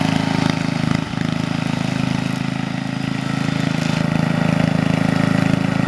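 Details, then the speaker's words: 1975-ish Snapper Comet 3081 rear-engine rider mower, 30-inch deck, 8 hp, restored and repainted, mowing a backyard: steady, even single-cylinder putter at constant mowing speed with no knocks or misses; running healthy. "here's my nephew helping me mow the back on with it he was helping me demonstrate the old machine it actually sounds good"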